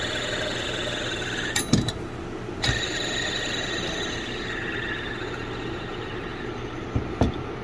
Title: Honda Pilot Auto Tensioner Bearing Noise 🔧👀👌 #shorts #honda #pilot #tensioner #tevideos #bearing